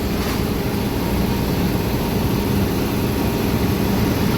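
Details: Yamaha NMAX scooter idling after the crankshaft seal was replaced and the engine light cleared; the CVT noise heard at idle had vanished on throttle: an even, steady hum with no squeak or chirp; it idles cleanly.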